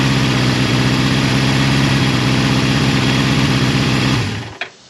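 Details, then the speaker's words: Low-mileage 1981 Suzuki GS550T four-cylinder, bought as a non-runner, cold start with about 1/8 choke: even, steady idle with no knocks or rattles, running on all four cylinders, then a clean shutoff; healthy. "It's a cold start. And as you can hear, the bike doesn't make any bad noises, so I'm just super excited about that. It's running on all 4 cylinders."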